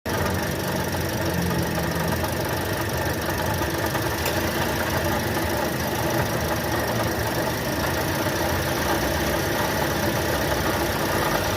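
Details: Toyota Sienta with the 2NR engine at idle: a rough, gravelly growl runs steadily under the idle without changing rhythm, caused by a worn water pump.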